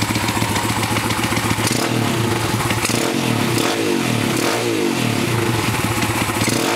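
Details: Pitster Pro X2 small single-cylinder engine revving hard, with a rattly metallic clatter over the exhaust as revs rise and fall; abnormal engine clatter, source unclear.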